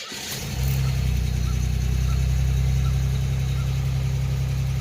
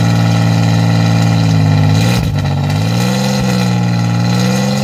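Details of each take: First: 1987 Chevrolet Celebrity Eurosport 2.8 V6, 237k miles, first cold start after fitting a MagnaFlow high-flow catalytic converter in an all-new exhaust with a single-in, dual-out Pontiac 6000 muffler: catches cleanly, steady even low rumble, much less raspy. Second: 1987 Chevrolet Celebrity Eurosport 2.8 V6, 237k miles, cold, running rough, recorded at the exhaust before repair: loud, coarse, raspy drone swelling with revs, with fuel smell; no catalytic converter fitted.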